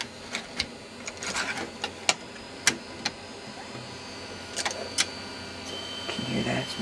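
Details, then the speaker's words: Iomega Zip 100 drive in a PowerMac G4 Dual 500 MHz loading a 100 MB zip disk: sharp irregular clicks and brief seek chatter over a faint whir, then the disk appears on the desktop. Normal loading. "some noise there we go the zip drive has now appeared on the desktop"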